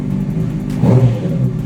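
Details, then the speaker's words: Wrecked 2006 Honda CBR600RR after rebuild, tip-over sensor bypassed, powered from a car battery, low on coolant: engine picks up smoothly from idle into a short rev and falls back with no knocks or misses; normal revving. "that was amazing guys the bike is alive uh it's running we got it to run oh man so happy so happy"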